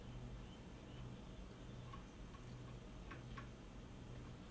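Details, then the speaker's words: 3000W continuous/6000W surge pure sine wave off-grid inverter with no AC output, stuck in overload: faint irregular ticks over a low hum while it flashes. The cause is a damaged integrated circuit on the control board; a replacement board is needed. "so the reason why this is not powering up properly is because it's a component that was damaged on this board right over here that integrated circuit"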